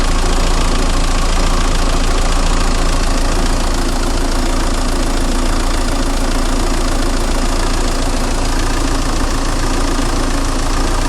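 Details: 2000 Renault Laguna 1.9dCi 110hp, 240,000 km, idling: rough uneven diesel clatter with slight RPM oscillation, also under light acceleration; solved by replacing the fuel pressure regulator valve on the high-pressure pump with a new Bosch one.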